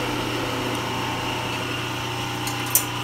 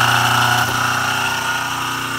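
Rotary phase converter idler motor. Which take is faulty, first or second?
second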